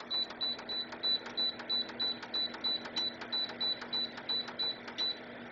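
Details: LifeSmart Renew PTC ceramic space heater sold as infrared: about sixteen short, high beeps, roughly three per second, as the setpoint is stepped down. The controls behave normally.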